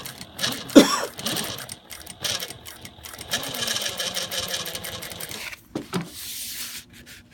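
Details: Juki DLN-415 with servo motor, not belt rubbing: faint steady whine under the stitching clatter at mid sewing speed, from inside the head around the stitch length dial and feed control lever; exact source unclear.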